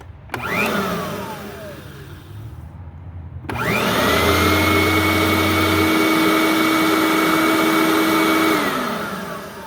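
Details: Riccar Supralite upright vacuum (church find) being serviced, tested after reassembly: motor spins up to a steady, even whine, no rattles or slapping, then winds down cleanly; running normally.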